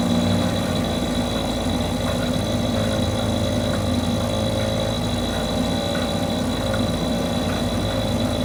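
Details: Mercury 2.5 hp two-stroke outboard that sits for long periods and wouldn't stay running, now running after carburetor troubleshooting: steady speed with an even note, no stumbling or surging, holding at various RPMs; normal running.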